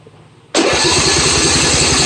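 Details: John Deere 155D lawn tractor, 22 hp 724 cc engine, oil at full, after plugging in a connector during no-crank diagnosis: fires at once and holds a quick, even beat with no stumbling; normal start and idle.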